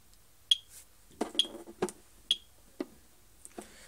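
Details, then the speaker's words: AVISS EVAC type 2b fire alarm panel with mains supply unplugged: short sharp high beeps about once a second between button clicks, indicator flashing; power supply fault warning. "Le futorisant il clignote. On entend bip, bip, bip. Ça veut dire dérangement des fours alimentation."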